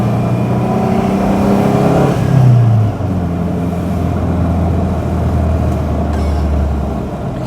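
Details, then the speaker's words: Subaru MV284 (Brumby/BRAT) pickup, non-turbo flat-four, driving on the road: even smooth drone with a brief rev change then steady low torquey pull; classic Subaru noise, healthy engine. "This is nice. It's got that classic Subaru noise, but uh yeah, it isn't overbearing and you haven't got the ridiculous amounts of performance."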